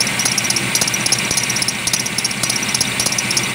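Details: Engine at idle: sharp high belt chirp about twice a second, worsening over a month and fading once warm; harmonic balancer broken, crank pulley wobbling; new balancer removed noise and wobble.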